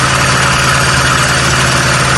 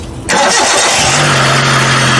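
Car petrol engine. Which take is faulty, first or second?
first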